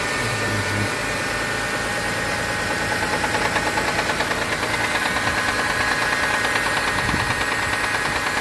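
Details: Mitsubishi 6G72 V6 at cold idle. A fast, fairly regular ticking of about three a second follows engine speed; it lasts 1-2 minutes after a cold start, then stops. The owner suspects the hydraulic lifters, unconfirmed.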